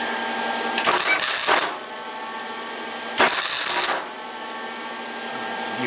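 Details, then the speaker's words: Flux-core welding on S15/S10 pickup door repair using KT Industries wire: two roughly one-second bursts of steady fine crackling sizzle, no popping, smoother than Harbor Freight flux-core wire; normal arc. "kind of hear how much smoother it is than other stuff than the harbor freight stuff and i'm not saying the harbor freight stuff ain't no good because it does do its job"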